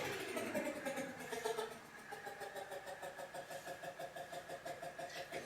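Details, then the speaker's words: 1967 Chevy C10 barn find heater blower on low and medium: soft steady fan hum with slow pulsing about twice a second; runs weak, seems not getting enough voltage, heater fuse feed suspected. "it sounds like it's not getting enough juice"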